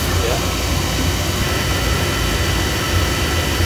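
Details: Oil burner that had been making black soot, fired up again after service: loud, even roar with steady low rumble, no pulsing or surging; normal operation, draft may need adjusting.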